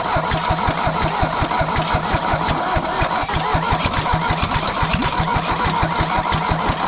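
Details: Mercedes W123 200D diesel, first start after about 25 years standing, new fuel lines and filters, refurbished injection pump timed at 24° BTDC: steady even clatter at a regular quick beat, no misses or knocks; runs smoothly.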